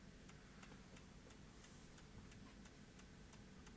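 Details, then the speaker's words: JVC BR-HD50 HDV DVCAM deck on a 12 V centre-positive bench supply, drawing over an amp with operate flashing: steady ticking about three times a second over a low hum at power-up, because the supply's current limit is set too low. "oh I've got my um current limit too low silly try again"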